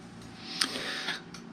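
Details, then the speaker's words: MZ TS125 with 6V LED indicators, ignition on, engine off, battery somewhat flat: flasher clicks about twice a second with indicators off; owner suspects current leaking through the blue wire to the shared indicator/charge light triggering the LED relay; stops once running. "but in a way that's quite good it's an audible sound to tell you that the uh ignition's on so you don't walk off and leave it and burn the coil out"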